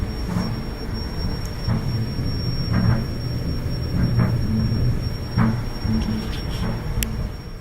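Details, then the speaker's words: Gas dryer with a thin, steady high-pitched whistle over the low tumbling rumble whenever the burner flame lights; usually due to a faulty gas valve assembly, which is being replaced. "And this is usually due to a faulty gas valve assembly. So we're going to be changing the gas valve assembly."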